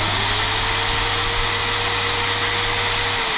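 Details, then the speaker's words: Eco magnet drill on first power-up check before servicing: steady high-pitched motor whir holding constant speed, then winding down; the drill motor works well, normal running. "So it looks like the drill are working well."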